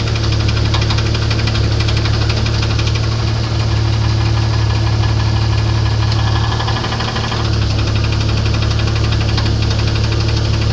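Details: Internal engine knock on a 1994 Grand, 4-litre engine, at idle: regular knock roughly three a second riding over a steady idle; source still to be found.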